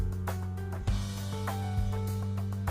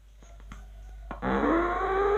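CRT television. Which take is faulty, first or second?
second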